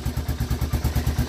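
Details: 1985 Honda Fourtrax 250 after a no-start was fixed by reassembling the start button: steady single-cylinder putter at about nine even pulses a second with no misses or knocks; clean idle.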